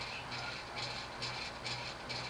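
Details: Late-1970s Union 36-inch industrial ceiling fan with thick cast-iron motor on a solid-state control: low hum with raspy buzz pulsing about twice a second, worn bearings letting the rotor sit off-centre in the stator; fix is replacing the bearings.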